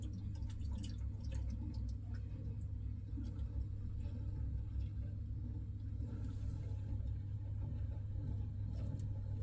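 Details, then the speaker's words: Old oil-fired boiler on a gravity hot-water system with no hot water: low steady rumble with gurgling and dripping; boiler overheating and kettling because its cold feed pipe is blocked. "b sounds like it might be overheating actually yeah can you hear that let's go and have a we look at the boiler now my head is telling me something here definitely sounds like it's overheating"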